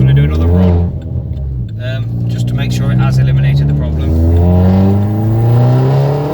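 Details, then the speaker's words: Turbocharged car, traction control off, accelerating after a suspected misfire problem was resolved: engine pulls cleanly, tone rising smoothly with no stumble or cut-out, boosting normally. "so traction controls off see it's boosting perfectly fine"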